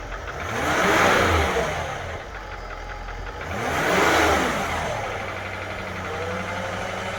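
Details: 2013 Range Rover Vogue L405, knock from the upper right side of the engine: revs up and falls back twice with a rough tapping edge on the rise; engine knocking, cause unknown.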